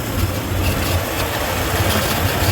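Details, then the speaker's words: 1993 Ford F-150 5.0 (302) with C6, new water temp sensor fitted for rough idle and hard hot starts, warming up: steady, even V8 idle with a smooth low throb, no knocks or misses; already sounds better. "Like I said, I'm going to let this thing warm up. It already sounds better, actually."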